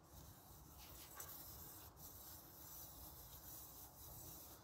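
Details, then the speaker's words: Renault Espace 4 engine running after alternator and water pump replacement and a new accessory belt: steady dry rubbing and scraping from the belt drive, cause unknown; the owner wonders if a leftover label is responsible. "il fait l'embrouille donc il fait il fait un bruit je sais pas pourquoi parce que à la base il devait pas faire ce bruit là"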